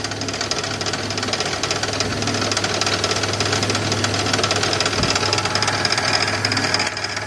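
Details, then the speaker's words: 2001 build-project vehicle at idle, knock heard on the drive home: hard, steady knock about three per second, loudest on the passenger (right) side toward the rear of the engine; cause unknown. "but it's coming out of this side passenger side more towards the back of the engine"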